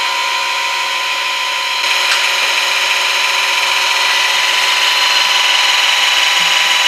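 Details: VEVOR 5-ton electric car jack lifting a 4x4 with 15.5 inches of clearance: steady high-pitched motor buzz with a step in tone as the load changes, then stopping; jack lifting normally.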